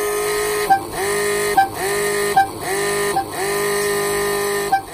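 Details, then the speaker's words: Ferrari 308 laid up about 20 years, horns tested after running a new earth wire held to the body; five loud steady two-tone blasts, each clean and full — horns working normally. "so we had just run a new earth we've got the horns there I'm just holding the earth on the body of the car go for it Josh"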